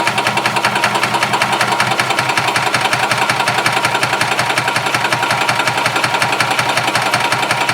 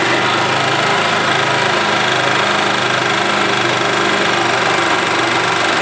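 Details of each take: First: Gas Yamaha golf cart (title: 1991 G8) that runs two or three minutes, slowly throttles down and dies: fast, regular starter chugging, roughly three beats a second, never catching or firing; crank no-start from fuel starvation, before a carb clean and new fuel pump. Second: 1991 Yamaha G8 gas golf cart engine after carburetor cleaned of junk and worn-out fuel pump replaced; steady, even idle with constant hum and no misses, knocks or surging: running smoothly and healthy.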